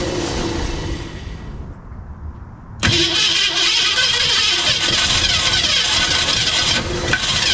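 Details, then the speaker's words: 1965 Ford Mustang, 289 converted to 302, after new starter and solenoid: steady rhythmic cranking under three beats a second that never catches; owner suspects the carburetor, which leaks fuel at a shot gasket, new carb planned. "so I think the problem here is it's wanting to kick over but carb is just done it's bad news"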